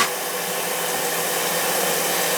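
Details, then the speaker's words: Mansfield toilet that kept running, after a new gasket, handle and supply line, and after the blocked hose was cut and reattached: a steady, even rushing hiss with no surging or sputter. The fill valve refills normally (about 90 seconds). "Sounds like it's feeling good to me now."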